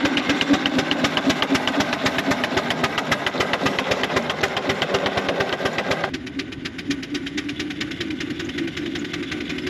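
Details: 4-inch Foster steam traction engine "Dolly", winter steam test after boiler retubing, working under load at only 55-60 lb pressure, regulator wide open; crisp, even chuffs about four a second, no misses or blows; singles quite deep, normal beat.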